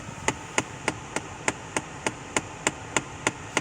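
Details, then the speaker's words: 2011-2015 Kia Sportage, AC on fan setting 3-4 in recirculation: sharp, even knocks about three a second under the dash over blower hiss, likely the recirculation door actuator behind the glove box broken inside and skipping. "more than likely it's going to end up being at the uh the recirculation actuator that is actually probably broken on the inside and it's skipping and when it skips that's the sound that it makes"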